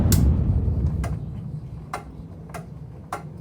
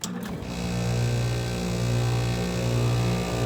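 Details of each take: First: Carrier air conditioner at spring startup after months unused, with broken louvers. Several sharp, dry clicks about a second apart as it shuts off and winds down. Normal relay click at shutoff. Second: Carrier window air conditioner, running. A low hum pulses in rough, uneven surges about 87 times a minute, shaking and rattling. Owner suspects the broken louver; source unconfirmed. Rattling while running.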